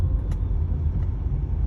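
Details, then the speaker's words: Volvo S60 (P3 platform) idling: steady low hum from a failing bearing under the AC compressor clutch, typical after about 130,000 km; fix is removing the compressor and detaching the clutch to replace the bearing. "Компрессор кондиционера. Подшипник, расположенный под сцеплением, выходит из строя. Именно это и вызывает шум."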